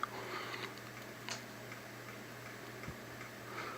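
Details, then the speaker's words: A CEC 36-inch ceiling fan gives a low steady motor hum with sharp irregular ticks on top. The owner suspects the medallion rather than the bearings; the cause is unconfirmed. "it's not sure what that sound is hope it's not the bearings but I think it's the medallion maybe I"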